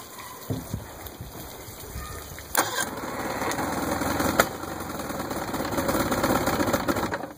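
Uneven, sputtering running broken by a few sharp, loud pops; the motor is backfiring, with no clear cause.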